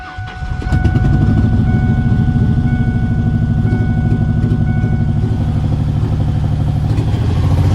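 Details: 2003 Ford F-150, first cold start after swapping in a good running 4.2 V6 with intake, throttle body and lower seals resealed: catches quickly, then settles into a smooth even idle with steady low pulses and no knocks; normal.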